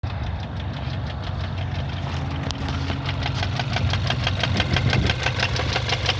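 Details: 2015 Kia Rondo 4-door wagon idling with a steady, fairly quick light engine knock over the low rumble; cause not yet identified.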